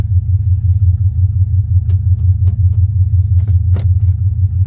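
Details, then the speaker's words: 1979 Chevrolet Malibu G-body wagon with a big-cam 350 and a 700R transmission, driving. A deep, steady V8 rumble has sharp "kapow" pops every second or so from the rear. The owner is unsure of the cause and guesses something at the back. "You hear it go kapow kapow back yonder. I think that's a lens. I don't know what that is."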